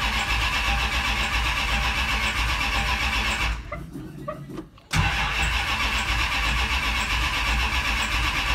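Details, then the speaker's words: Carbureted Roadrunner V8 after sitting about 4–5 months, with fuel just hooked up temporarily while the trunk is being worked on. Long, loose churning crank, a short lull, then it catches and runs on its own; fuel is slow to reach the carburetor. "It's been like 4 or 5 months probably. Might take a minute to get some fuel up to the carburetor."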